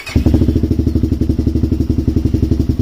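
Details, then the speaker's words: Arctic Cat DVX400 quad cold-started on choke after correcting valve clearances, even single-cylinder thump with no ticking, much quieter; healthy idle, idle to be bumped up slightly. "she sounds so much better. No ticking noise whatsoever. Nice and quiet."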